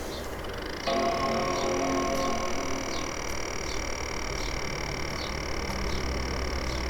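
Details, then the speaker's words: Apple A1398 MacBook Pro, recorder pointed at fan grilles: fan spins with steady high whir and loud, consistent buzzy rattle that slows as laptop shuts off; caused by dust buildup, cleared by cleaning. "it's pretty obvious it's quite a loud sort of rattling consistent noise um yeah to me it sounds like the fan has got something jammed in it"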